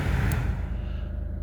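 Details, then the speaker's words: Peugeot 208 heater blower motor fed directly by jumper wires bypassing a faulty connector: steady low hum as the fan spins smoothly; fault confirmed in the connection, rest of circuit works. "There we go, I'm sure you can hear that. The fan is working."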